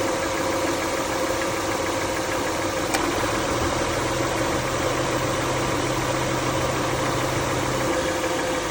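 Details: Car at idle with the AC on: steady low hum joined midway by a faint whirring drone, likely when the AC load engages; source unknown.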